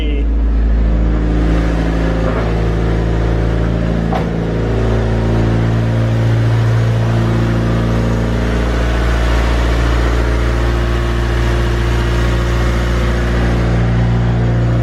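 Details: Honda Civic D-series VTEC engine started after replacing distributor and VTEC oil seals with genuine Honda parts to cure an oil leak, plus oil change; catches quickly, smooth steady idle with no ticking or knocking, oil pressure good while warming: normal idle.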